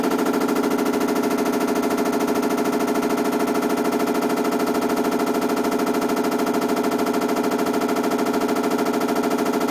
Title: 洗濯機異音BW-D8HV